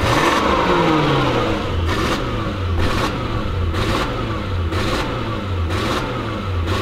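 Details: Lexus LS400 stuck in limp mode: revs blip up and drop back repeatedly, unable to climb past about quarter throttle. Fault code 41 is stored; owner suspects leaking capacitors in the ECU.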